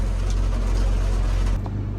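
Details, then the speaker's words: Cat 323 excavator diesel after an oil pressure sensor repair, running about a minute, in the rain; deep, steady low idle rumble with no knocking or surging. Oil pressure reads 74 psi at low idle and 85 when revved; a normal idle. "All right, just like that, we have 74 lbs of oil pressure and idle. It's been running just a minute here."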